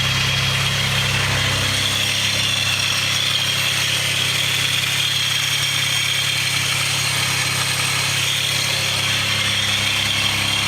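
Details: Mitsubishi 3000GT/Dodge Stealth twin turbo, heard from underneath the car: a steady idle with a low rumble and a constant high hiss. The source is on one side of the engine and unidentified, separate from the lifter tick at startup.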